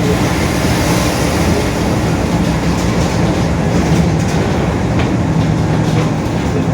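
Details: Marcopolo Torino S 2018 body on 2021 Mercedes-Benz OF-1721 BlueTec 5 diesel city bus, cruising: a steady low growl under the drivetrain noise that holds even at this speed, from a growling, worn differential.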